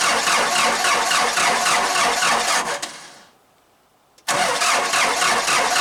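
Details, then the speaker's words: 4BT Cummins diesel Jeep cold start at about 30°F, before adding a grid heater: long rhythmic cranking about three seconds without catching, pause, then cranking again; hard cold starting, later traced to the VE injection pump. "And uh I've been having a little bit of a problem with the diesel Jeep. And uh I'm going to show it to you and then we're going to fix it."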